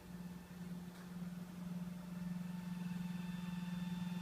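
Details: 2012 Toyota Camry Hybrid XLE with OPT7 H11 LED low-beam bulbs gives a steady, oscillating hum and whirr whenever the lights are on. It is heard inside at idle or in EV mode and stops when the headlights are off. Cause unknown.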